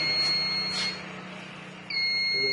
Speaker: So, if I pull the battery off, within 90 seconds it should give me a trouble. Okay, even quicker that. So there's a trouble.